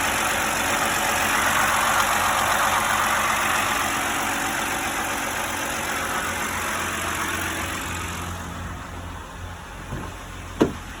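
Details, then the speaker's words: 2011 BMW 328i E93 convertible, N51 engine, code 2A7C: rough, diesel-sounding idle with a steady whistle; whistle traced to failed PCV membrane in the valve cover, gone after valve cover replacement; VANOS/timing noise remained. "this e93 328i 2011 with the m51 engine was running rough had a rough idle noisy kind of diesel sounding like idle also had a whistle [Music] coming out whistling sound the whistling sound was from the pcv on the valve cover"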